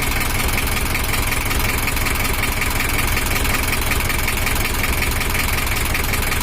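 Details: Toyota Hiace LH11 diesel at idle after the engine was set up, bigger fan fitted for cooling; even clatter about 160 a minute, no misses or knocks; sound is back to normal, expected to smooth further once fully bedded in.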